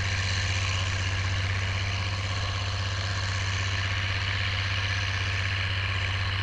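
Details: Oliver 1550 diesel tractor pulling a John Deere BW disk after whatever was in the fuel system cleared out; a deep, steady drone holding an even beat with no stumbles or misses. Normal running under load.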